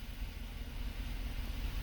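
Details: 2005 Chevrolet Avalanche 5.3 L V8, previously throwing a P0300 random misfire, idling with a deep, even rumble after spark plugs, coils and injectors were replaced; live misfire counts read zero, normal idle.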